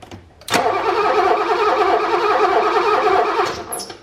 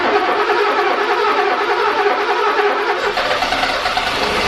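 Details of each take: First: 1985 BMW E24 635CSi after sitting for years: steady starter churn about three seconds with no firing, crank no start; no spark confirmed at the plug, coil, cap, rotor or main relay to be checked. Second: 1985 BMW E24 635CSi M30 engine, revived after years sitting with a crank-no-start fixed by correctly connecting the crank sensors to restore spark: a few seconds of cranking, then catches and settles into a steady, even run.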